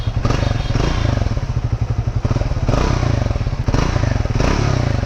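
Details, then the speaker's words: Triumph Speed T4 (400cc) at first start, idling in neutral at the showroom: deep, even, bassy exhaust thump at a steady beat with no rattles, misses or vibrations; healthy idle. "exhaust has a good pretty thump to it. It's a little bit bassy, no doubt. Everything is well contained, no vibrations."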